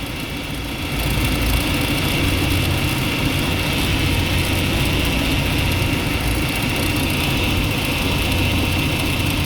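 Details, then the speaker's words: Old BMW E36 power steering pump, aged seal suspected of drawing air, foams when cold, overfilled with 68-grade hydraulic oil: idle with uneven popping, crackling patter; air drawn through pump, hydraulic-oil fix judged a failure. "有这个啪啪啪的声音就不对了。"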